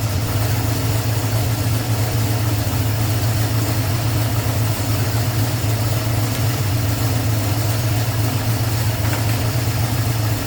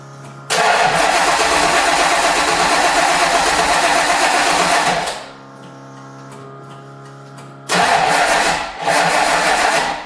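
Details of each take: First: 1989 Ford Mustang with a 351 Windsor V8, warming up: smooth, constant low V8 idle with an even beat, no tapping, knocking or hunting; normal, healthy idle. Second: First start of a 1989 Mustang's 351 Windsor V8 with MSD ignition, after reinstalling the engine from the engine stand. Catches, then settles into an uneven, lumpy, stumbling idle; owner suspects oil that leaked from the flipped intake manifold is burning off.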